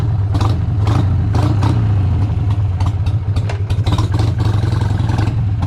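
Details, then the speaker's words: 2001 Harley-Davidson Sportster 883 Evo V-twin, test ride after CV carb tuning to cure hesitation, camera's own mic: deep V-twin thump pulls cleanly through each roll-on with no stumble. More power and responsive; it later died at idle. "so already this thing just feels so much better. It has so much more power and it's so much more responsive,"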